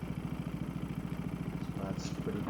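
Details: Small engine after carburetor cleaning, idle speed screw turned down about half a turn: quick, even putter with no misses or hunting, gauge reading about 1610 rpm, right within range; normal idle.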